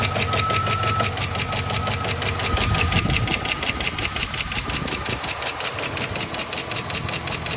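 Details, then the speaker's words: 2007 Chevy Silverado 1500 WT 4.8 V8, high unknown mileage, clean oil, idling: quick regular ticking about three per second; owner unsure whether rod knock, lifter tick or exhaust leak. "Is this considered like a [ __ ] rod knob or what is this guys? Somebody please let me know. Sound looks like it's coming from around here though."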